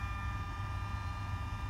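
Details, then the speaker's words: Mercedes S600 W140 with overhauled electronic throttle bodies, ignition on before first start: quiet steady low hum with faint even whine as throttle bodies run their learning cycle; normal adaptation completed. "side unit right here making a nice humming sound learning [Music] that's it so they went through cycle and now they are ready"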